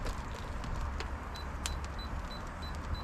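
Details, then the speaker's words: Moisture meter on split standing-deadwood firewood, outdoors by an outdoor wood boiler in March: short high beeps about three per second over quiet outdoor noise, warning the reading is nearing 20%. "let me set you guys up so you can see when you hear that moisture meter beeping that means it's getting towards 20."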